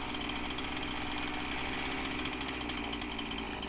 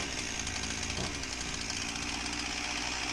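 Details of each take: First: Husqvarna 346XP chainsaw: smooth steady high buzz without surging, chain no longer dragging, carb-clean test shows no leak; base gasket air leak fixed, carb roughly tuned. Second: Husqvarna 346XP chainsaw idles high and fast with a steady two-stroke buzz that never settles, and the chain won't stop turning. Air leak at the cylinder base gasket is suspected, possibly with a second problem.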